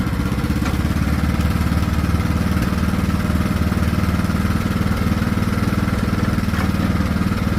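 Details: Craftsman T1600 riding mower after new carburetor replacing a corroded one, fresh fuel: steady low drone with slightly uneven pulse and small swells in speed; engine surging under load, cause unknown to the mechanic.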